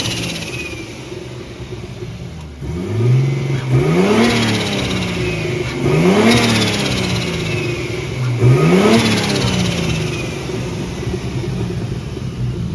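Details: Big-turbo Nissan R32 Skyline on an untuned, self-adjusted basemap, warming up, stationary free revs: three revs climb after an initial stumble, crackles and pops on overrun; hesitation and popping from the untuned map.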